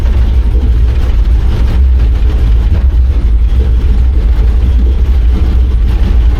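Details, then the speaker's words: 1953 truck LS-swapped with Holley EFI, generic fuel table, closed loop off, new plugs; deep uneven rough rumble, air-fuel all over, injector pulse width far off, smells of raw fuel; rough running, cause not yet found. "so the air fuel is like it's running too bad for it to really matter it's all over the place but if we just looked at the injector pulse withth you can see that uh it is is nowhere remotely close uh it just smells like raw fuel"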